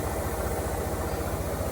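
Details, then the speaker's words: Mercedes petrol engine idling with an uneven, lumpy low thrum, a misfire caused by water filling the spark plug wells after engine washing. "it doesn't run very well. That is full of water. That one there is full of water."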